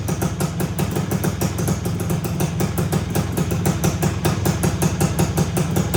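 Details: 1974 Honda MT250 two-stroke, first start after rebuild with new OEM seals, head gasket, NOS piston and rings and honed cylinder, no chain fitted: popping at a fast idle with crisp, fairly even beat, no rattles or knocks; runs healthy.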